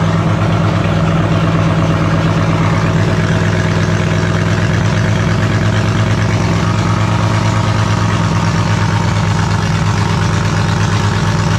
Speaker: um as you notice with this thing it's a real pig it doesn't really like idling um anything under sort of 1600 uh rpm um with the overlap on the cam it's just pumping raw fuel out the exhaust pretty much when it's sitting at idle